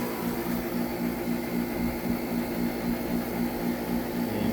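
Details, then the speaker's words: DIY heat pump water heater compressor, first real test, compression ratio around 4:1, refrigerant possibly slightly low: steady low drone with even pulse near four beats a second, running smoothly; compressor under full load. "tell the compressor is you know fully loaded and could calculate that compression ratio"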